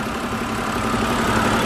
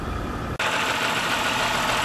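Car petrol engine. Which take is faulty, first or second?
second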